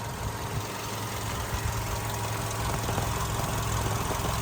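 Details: 2008 Volkswagen Golf 6 1.6 MPI petrol, manual, 178,000 km: steady even idle hum with low thrum, no knocks, stumbles or misses; started instantly, no smoke, starts well cold and hot.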